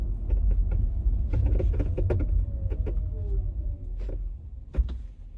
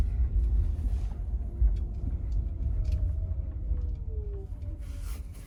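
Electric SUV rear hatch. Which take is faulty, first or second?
first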